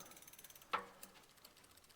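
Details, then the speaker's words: Walmart Concord e-bike rear derailleur, pedalled after adjustment, shifting into the lowest gear: light fast ticking of chain against the cassette with a sharp click, derailleur going slightly too low; fixed with barrel-adjuster fine tuning. "Now here I'm hearing a little noise. What am I hearing? It's actually almost going a little too low."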